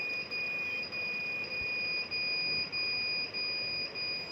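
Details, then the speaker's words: Naze32 flight controller on a QAV210 quadcopter during Cleanflight setup: a high steady beep pulses about every 0.6 seconds with nothing else running, the board's warning because the transmitter is switched off and no signal is received. "that beep is coming because my transmitters off"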